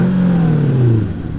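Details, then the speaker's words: Mercedes AMG 5.5-litre V8, a daily driver, started on a cold day. It catches with a quick flare, then settles into a deep, even idle with no knocks or ticks. Sounds good. "Sounds all right. It's not bad. Sounds good."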